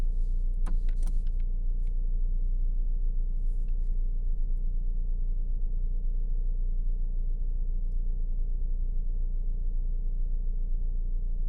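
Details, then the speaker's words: 2017 Fiat, engine running: a few sharp isolated clicks over steady low hum as lock actuator tries to unlock while already unlocked; door lock actuator cycling by itself from water-damaged failed RF module, leak from cracked welds. "there it went again it's the sound of it trying to unlock while it's already unlocked"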